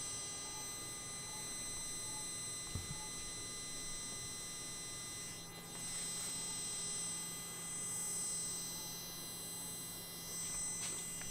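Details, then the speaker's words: F&D T60X tower speaker, muted or at very low volume: steady low hum with faint high buzzing, constant with nothing playing; speaker idle hum. "I hope you're able to notice this sound the humming sound in this speaker because ether are noticeable here"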